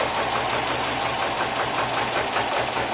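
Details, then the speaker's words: 2009 Subaru Impreza turbo at idle just after start: rough, uneven idle with an irregular stumble of about two to three pulses a second, a misfire with codes P0300, P0301, P0302, P0303 and P0133 O2 sensor code. "let's go ahead and crank it up and ah let's take a listen oh yeah definitely misfiring"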